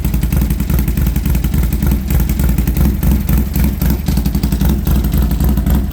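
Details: Harley Sportster first start after fitting new aftermarket exhaust: V-twin runs with deep, loud, steady lopey beat and throttle blips; normal running, healthy through the loud exhaust.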